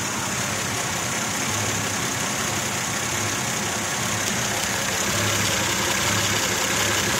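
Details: Mazda 626 idling, fault code present: uneven idle with a loose pulsing shake about four times a second under a hissy top end, car vibrating inside; rough idle, cause unclear.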